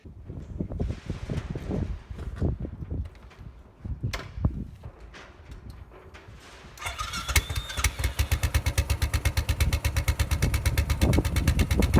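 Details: Royal Enfield Bullet 500 EFI fitted with a Hitchcocks high-level trials exhaust 91100 and a homemade air box reduction panel. Single-cylinder thump settling to a steady, even beat near three per second, clean and regular. Normal idle and revving.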